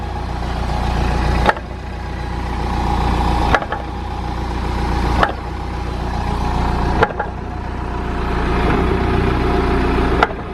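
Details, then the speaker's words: BMW E60 5 Series: revs rise and fall about every two seconds with a sharp single clunk at each load change on accelerator or quick clutch release; driveline clunk, source unlocated, subframe moves together. "I can hear it every single time that I step on the accelerator or just lift up the clutch quick"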